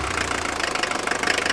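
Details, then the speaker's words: Mercedes 240D, naturally aspirated four-cylinder diesel, brought off idle: rapid, even clatter that quickens and smooths out around 2500 rpm, no odd knocks; healthy diesel revving. "now bring it off idle and you'll hear it rev up and it'll smooth out right about the time you get to about 2500."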